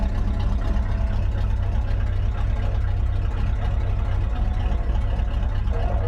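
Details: 1977 Chevy C20 Bonanza 3/4-ton carbureted truck at idle: a deep, rumbling, far-too-loud raw sound; obnoxiously loud exhaust. The exact cause is not confirmed.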